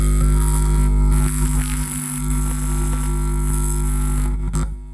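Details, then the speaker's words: 400 W mono power amplifier, plain unshielded input wires twisted together: steady low mains hum with overtones only slightly quieter; twisting gives little reduction, wiring not shielding well enough. "Kita lilitkan suara dengungnya udah sedikit berkurang tapi sedikit sekali."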